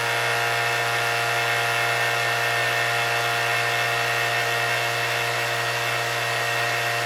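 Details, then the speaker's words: Shelf-mounted vacuum pump exhausted outside, with Joe Woodworker controller and reservoir, set to about 28 inHg for rudder infusion: vacuum released, pump kicks on; steady even hum, constant pitch, light buzzy edge, no knocks or surging; normal. "So I'm going to take the vacuum off. And you hear the pump come on now. The vacuum is dropping."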